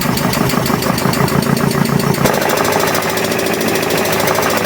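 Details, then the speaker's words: Alfa Romeo 33, about 40,000 km, first start in 23 years, ignition leads had been swapped causing backfiring: runs unevenly with lumpy beat and knocking; noise hoped to be just the worn alternator belt, cause unclear. "it's alive I have the two ignition leads over there on the W this is not good this sound I hope it's just the belt"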